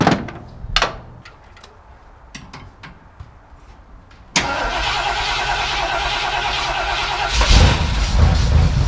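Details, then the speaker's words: Ford Bronco 351M V8 idling to warm up after rebuild: lumpy rough idle on one side with a light quick tick about three per second; owner suspects a bent pushrod or something assembled wrong. "also running rough on that side you guys can hear that just tick tick tick tick [Music] tick not good I'm going to go shut it down I think I bent a push rod"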